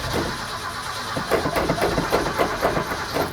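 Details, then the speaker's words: 1972 Ford F-100 V8, sat about 10 years, cranking: steady starter rhythm near four compression beats a second, never catches; no fuel getting up; pump filter cartridge to be checked. "no fuel i must not be getting any fuel yeah nothing i'm just not getting any fuel anywhere yet"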